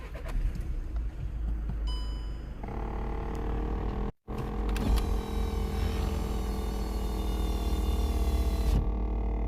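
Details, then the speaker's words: 2014 VW Passat 1.6 TDI diesel: at every start-up a whirring, pumping noise from the left side of the dashboard rises over the idle for a few seconds, then settles; cause unknown, owner asks if others have had it. "It's like pumping, it's pumping something."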